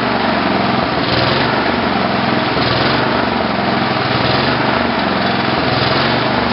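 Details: Tecumseh HH120 single-cylinder tractor engine on an engine simulator, final test run after fitting a GM LS2 ignition coil and a modified GM crankshaft sensor: loud, steady drone at constant speed with only a slight slow surge; it runs normally.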